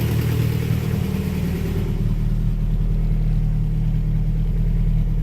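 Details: Honda Prelude, first start after sitting, harness thrown on as-is, battery off the tray: loud, deep, steady idle through open exhaust, even beat, no knocks or misses, holding 40 psi oil pressure, no leaks or check engine lights; normal idle.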